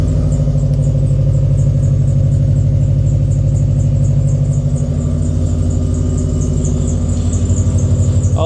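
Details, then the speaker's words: Cheap used winter car idling on a cold start; faint, high, quickly repeating chirping squeak over a steady idle; the squeak goes away after warm-up, source not identified. "let this thing warm up a bit, but she does have a little bit of squeaking. It does go away after some time, especially after cold start."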